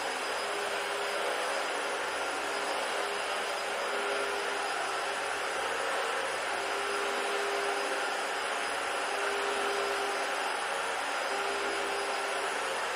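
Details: Dyson DC-40 vacuum found in the trash, tested on old carpet; steady even roar with a faint suction whistle, no screaming or whining; normal running.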